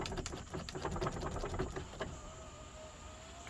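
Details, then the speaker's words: 2011 GMC Sierra 1500 SLE power window, long unused: faint clicks then thin strained motor hum as window labours upward; sluggish window, weak battery suspected, not confirmed, may need engine running. "Okay, like see, it's really finicky to go back up on this one, so you just have to keep trying, you know, keep working with it."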